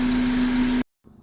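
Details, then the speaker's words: 2003 Honda Accord 2.4L, a couple of days after cleaning the idle air control valve to fix a surging idle and a 3,000 rpm idle relearn: brief steady, even idle with no hunting or surging; no engine light, fixed. "now here's the Beast this is the car just wanted to let you take a view of it now let's listen to it and see how she sounds this is a couple days later uh I'm taking this video just to show that the uh the problem was fixed no more engine light no more maintenance required"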